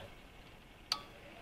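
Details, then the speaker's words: Cooling fan output relay on a Mercedes W201 V12 with VEMS ECU, switched during ECU output channel testing before first start; one crisp click in a quiet room shows the output and wiring respond properly. "so what nice is I can show you that they are working so if I you can just test the channels so this is my cooling fan"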